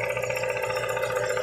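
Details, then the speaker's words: VW Gol with CHT engine, valves already adjusted: fast, even light ticking heard up close over the running engine; play at the clutch shaft support, likely a worn bushing, not the valves. "ó tá vendu ó a folga aqui deve ser a bucha que que acabou entendeu"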